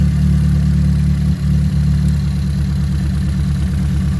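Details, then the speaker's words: Ford Fiesta ST with coil packs unplugged one by one to find the misfire, cylinder 4 showing a slight drop: deep idle that stumbles and drops beats unevenly. Misfire rough idle. "That's running uneven."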